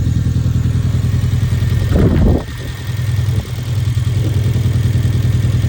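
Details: 2011 Hyundai Genesis Coupe at idle: lumpy, stumbling beat that dips on throttle blips; a cylinder 4 misfire.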